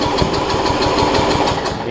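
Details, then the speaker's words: Murray rear-engine rider mower with a roughly 30-year-old engine: slow, labored cranking around four pulses per second, catching briefly but not settling. Owner wonders about low compression; hard starting, cause unconfirmed. "I'm just going to crank on a little bit see if I get the thing to run so that I'm not made a liar out of out of this thing it's really hard to start"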